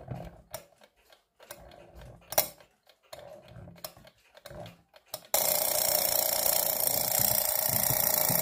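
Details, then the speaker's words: Chronotechna Czechoslovakian alarm clock, believed 1940s, torsion-spring movement; ratchety winding clicks, then loud continuous rapid bell clatter holding steady: normal alarm bell ring. "oh yeah and if you're curious about what the alarm sounds like it's literally this"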